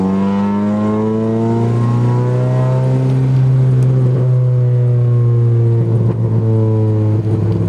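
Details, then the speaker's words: B20-engined car, cooling system bled, fast idle valve deleted: engine climbs and sags unevenly through revs, hiccuping off throttle; surging and hesitation on deceleration persists after checking vacuum leaks, cooling air, idle control valve; cause unknown. "all right well so far I've had no luck it's still bogging or surging and it's still hiccuping when I'm"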